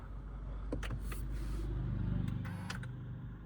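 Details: Honda car electronic parking brake being applied: a short, low electric whir that builds and stops after a couple of seconds, the parking brake motor applying normally.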